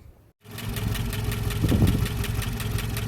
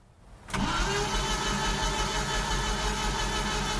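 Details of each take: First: 1988 Jeep Comanche Renix 2.5L I4 after fixing timing issues and broken tension pin: catches and settles into a fairly steady low idle with a light even beat, no clear miss; a little smoother. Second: 1988 Jeep Comanche Renix 2.5L I4 cranking but not starting: starter spins the engine about three turns a second for several seconds without catching; distributor rotor far off, timing chain believed to have skipped a ridiculous amount.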